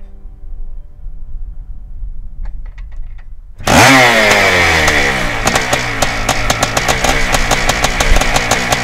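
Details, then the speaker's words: 1987 Yamaha YZ490 twinshock hybrid, air-cooled 490 two-stroke in a 1987 YZ250 water-cooled frame, built as a weekend race bike: kicks into life with a crisp ring-ding, then climbs and falls cleanly through sharp throttle blips. Normal idle and revving. "okay so we've talked a bit about the machine now let's get billy to fire up that 490 motor and have a quick listen to what it sounds like"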